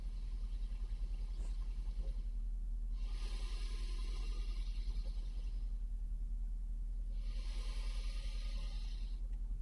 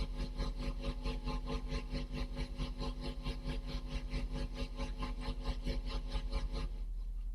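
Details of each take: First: Valve amplifier revived after replacing failed resistors, normal channel recorded with a microphone against the speaker: low steady hum with hiss bursts rising and fading every few seconds from noisy anode resistors still to be found. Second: Vintage valve amplifier after resistor replacements: steady tone pulsing evenly about 1.5 times a second, low frequency oscillator now working and the tremolo back, though amplitude still not optimal.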